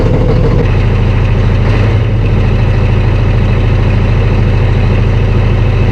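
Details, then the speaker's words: Volvo truck diesel just cold-started in snow at 8 degrees (oil temp 8), eight batteries, gear reduction starter: deep, even diesel rumble, steady low beat, no misses or knocks; healthy normal idle after cold start. "that wasn't too bad at all i expected to be a little bit worse than that a little bit slower to turn over but considering that eight batteries on it got the job done"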